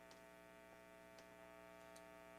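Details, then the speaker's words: Squier Stratocaster starter-pack guitar fitted with Duncan Designed single-coil pickups, switch position 1, through Overloud TH3 amp sim with distortion, nothing played: steady low 60-cycle mains hum with even overtones, cancelled in humbucking positions 2 or 4. "So that's the first switch. That's the 60 cycle hum I'm talking about with distortion or effects."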